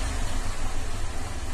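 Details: 2007 Cadillac STS 3.6 with misfire codes P0300/302/304/306 on bank 2 plus exhaust cam correlation codes P0017/P0019, during a scan-tool cam control test; cause unclear (cam timing or plugged exhaust suspected). Low, lumpy, rough idle, misfiring on the whole bank.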